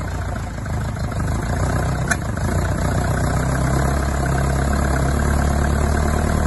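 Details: Isuzu Bellett GT-R petrol engine restarted; it catches but runs rough and lumpy at low speed and won't stay idling.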